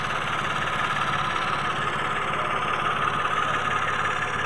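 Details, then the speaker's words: Mitsubishi Mirage automatic, previously cranking with no start, settles into a steady even idle with no misses or knocks after relays and spark plugs were replaced and a rusted clip at a water-soaked cylinder head was found. "Salamat sa panginoon. May umandar na din."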